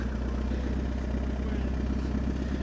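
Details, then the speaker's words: Handbuilt 1926 "Vanside" roadster, restarted after its vacuum lines were reconnected: steady, even four-cylinder idle with a low throb and no misses or hunting; now runs well. "Let's fire it up and see if it runs any better. It runs good now. It helps when all the vacuum lines are back on."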